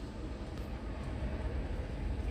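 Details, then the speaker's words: Bajaj BS6 CNG auto-rickshaw after its injector was cleaned and serviced instead of replaced: starts, low even idle rumble with no misses, knocks or hunting; problem solved, normal idle. "Start ಆಯಿತು ಗಾಡಿ, ಯಾವ ರೀತಿ ಸಮಸ್ಯೆ ಇಲ್ಲ."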